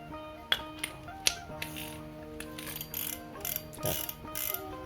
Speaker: Kita juga sekalian cek, ini kan karena sudah kita ganti dengan clicker yang baru, kita cek dulu suara dari clickernya.